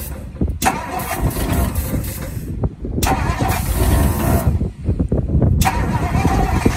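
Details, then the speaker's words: 1960 Ford Sunliner, first start attempt with starting fluid and a hooked-up battery: three separate bursts of steady churning starter cranking, a couple of seconds each, with no clear sign of the engine firing. "going to try to crank it over got some starting fluid got the battery hooked up let's see what it does"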